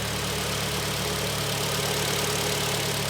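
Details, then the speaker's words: 2012 Kia Sportage, G4KD 2.0 petrol, 95,000 km, after block boring and rebuild for heavy piston knock, heard from outside: smooth, even, quiet idle with no piston slap or knocking; engine runs healthy. "работает ровно работает тихо это самое главное"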